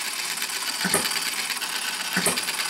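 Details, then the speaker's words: Retrol HM-01 7cc four-stroke horizontal hit-and-miss model engine: two sharp firing pops about 1.5 seconds apart with light mechanical clatter while coasting, slight vibration expected; governing normally. "well there it is chugging away little bit of a vibration but you expect that with a hit and miss"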